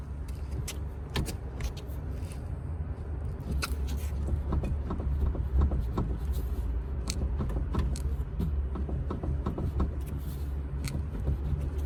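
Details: BMW 530d xDrive F10 with knock/click over uneven roads and cupped tyre: irregular dull clicks and knocks as body is rocked by hand; suspected loose suspension joint, sway bar or control arm, unconfirmed.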